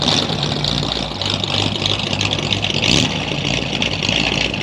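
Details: 1937 Ford with a 59AB flathead V8, new ignition parts, full dual exhaust and a 6-volt system, on about an 80°F day, idling as it backs out in reverse; a steady, low, even burble with no knocks or misses; healthy.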